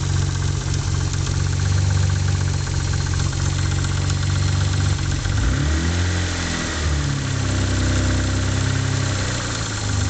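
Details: Mitsubishi 3000GT V6 at idle: rough idle with a dull, uneven knock and a low drone underneath; owner suspects a spun bearing, unconfirmed.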